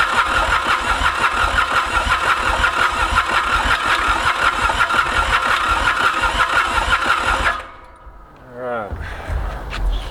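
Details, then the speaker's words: Mitsubishi K3D diesel on a Ransomes Bobcat mower, first start attempt after 9 years, glow plugs skipped: steady cranking at about two compression beats a second, never fires; flooded with too much fuel. "he's getting too much fuel ah it wants to go so bad you can tell"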